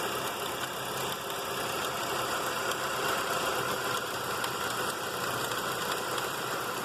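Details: 1995 Mercury Mystique petrol engine at idle: a dense, hissy whir and faint, uneven ticking near the timing belt. The cause of this timing belt noise is unknown.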